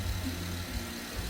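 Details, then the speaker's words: 2013 Porsche Panamera idling after timing chain kit for P0016 stretched chain, about 20 minutes run time, no codes or leaks, fan not yet on: smooth even low rumble, no skips or ticking; healthy idle. "she sounds great about 20 minutes of run time no no ptcs no leaks we sounds great no fan yet"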